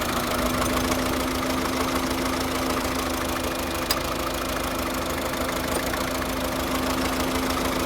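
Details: 2009 Volvo S40 1.6 diesel at idle: uneven, loosely rhythmic tapping about three per second over a steady hum; misfire with weird engine noise, cause never found.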